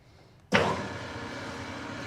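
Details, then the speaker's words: New Precision Matthews PM-1660TL lathe, first run before break-in, headstock in medium range gear 2 at 180 rpm: brief startup surge then low even quiet hum, no gear clatter or knocking; smooth and quiet, normal. "nice very nice nice and smooth and quiet this is probably going to be a really common used gear range right through here the gray color medium"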